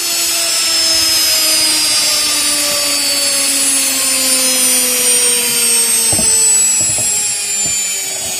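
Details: Washing machine universal motor (6 wires), series-wired direct to 220 V single-phase, unloaded: very high, steady scream drifting slightly lower, smooth with a few light clicks, spinning freely; normal running.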